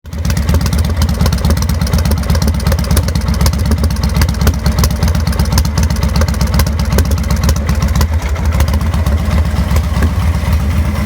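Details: 2000 Victory V92SC V-twin: lumpy, uneven idle with loping beats and dips in rhythm; rough idle leading to stalling.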